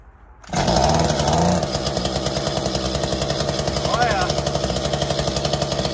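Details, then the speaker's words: Mantis tiller with small two-stroke after new fuel tank and fuel lines, started with choke out: fires at once, fast buzzy fairly even run with slight speed wavering; normal running. "all right guys so it looks like it started up sounds like it's running pretty good"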